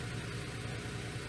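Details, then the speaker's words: 2004 Toyota Sienna 3.3 L with a crank no-start, running after a blown fuse was replaced, code P0354 for coil 4: low, lumpy, shaking idle with a stumbling beat as one cylinder drops out. Misfire traced to a broken ignition coil connector. "even though my camera is moving a lot it's shaking it's shaking a lot but uh remember it has a code p0354 for the ignition coil pack number four"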